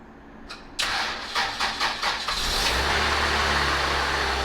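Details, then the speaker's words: GSR engine after Blox intake manifold install, very cold start, no codes, valve lash adjustment still due: short crank, catches and settles to even steady fast idle, no ticks or misses; normal cold start. "Alright guys, so really cold start right there. Everything sounds good."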